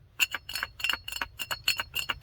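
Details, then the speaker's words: Lexus LS400 old fuel filter, removed after a new fuel pump failed to fix the car dying under throttle: quick irregular clinks and rattles when shaken; the element came loose inside, blocking fuel and starving the engine. "the filter element came loose inside the pump was blocking the outside the side that feeds the fuel to the motor which was blocking the fuel and starving the motor of fuel"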